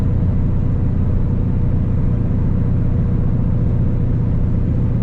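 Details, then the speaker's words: 4th-gen Camaro, stock engine, muffler removed, after poly motor/transmission mounts and short-throw shifter, cruising 55 mph in 5th at about 1700-1800 rpm: steady low drone with faint rear drivetrain hum, no whine or knocks; normal, audible due to missing carpet/sound deadening. "can hear a little bit of like drivetrain noise back there but again I think that's good that's where the carpets ripped out there's no like noise cancelling stuff"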